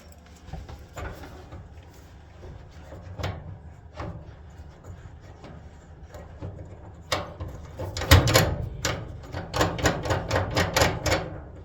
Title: Dryer was making very loud squeaky sound, found the problem.